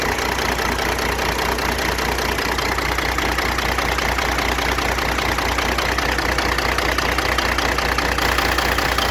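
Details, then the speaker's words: Diesel idling with valve covers off, injector heads probed with a hard-handled screwdriver: sharp regular pop and ping on the clatter, about two or three a second; injector number 2 over-fuelling and hitting hard. "Oh yeah, that one's got a hard hit. Real hard hit. That's where my popping and pinging's coming from."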